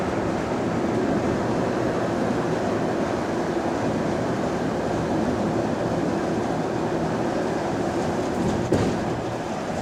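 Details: Recorded inside a GAL EBD67 bus on route SL4 after the creaking suspension was fixed: a steady, even road and drivetrain roar with no creaks or knocks. The suspension sounds healthy.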